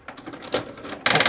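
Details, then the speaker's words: Toshiba RD-XV50KF DVD/VCR/HDD recorder in VCR mode, cassette inserted: scattered mechanical clicks then loud fast rattling grind about twelve times a second as it immediately ejects the tape; binding tape mechanism, DVD side works. "oh and that's what's happening it spits it out immediately and makes this terrible noise"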